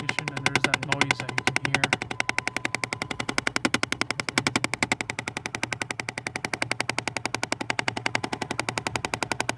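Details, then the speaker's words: 2005 Jeep Grand Cherokee Laredo 3.7 V6: on ignition the AC starts and fast, even clicking rattle nearly four a second comes from the dash ducts, changing with vent direction; suspected actuator, one removed without fix, cause not found. "so as soon as a we kick in the ignition looks like the AC started and we were unable to see what this big rattle noise comes from"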